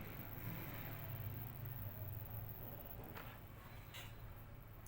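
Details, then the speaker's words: Prefix 6600i satellite receiver power board (red-light fault), after replacing all power-circuit capacitors: only faint room noise and a soft low hum, with the earlier buzzing gone. "تاني اهو معاكم ما فيش اي اصوات اصوات اصوات تمام"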